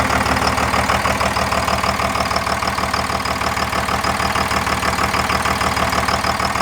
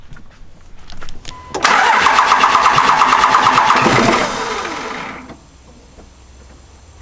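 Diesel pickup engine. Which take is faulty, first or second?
second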